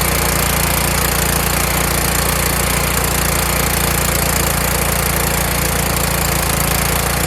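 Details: Kohler Courage engine on a tractor, winter, engine cover off, after swapping in the donor engine's carburetor whose choke now springs back by itself: loud, even beat of about three and a half pulses a second with no misses. Normal running.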